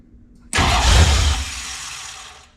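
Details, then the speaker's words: 1966 Mustang with a 5.0 302 roller engine on its first start: cranks, fires with a sharp burst, then fades within about two seconds and stalls; the ignition is suspected of not staying hot once the starter is released, but this is not confirmed. "H almost sounds like it's like the ignition is not staying hot when you let off the starter try her"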